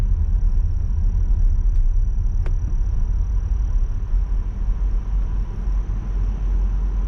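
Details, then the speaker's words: Audi Q7 heater blower motor giving a thin, steady high-pitched squeal under road rumble while driving; cleaning and lubrication did not help, so the motor and cabin filter were replaced. "В общем, моторчик начал пищать вот так примерно."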